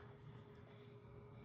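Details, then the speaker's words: Grundfos circulator (likely Alpha, cast iron, 3 speeds) on hot water loop off steam boiler, kept at lowest speed, microphone held right on pump: very faint smooth low hum, no rattle or grinding; normal quiet running. "I always keep it at the lowest speed. It does fine. It's got 3 speeds. Hear how quiet."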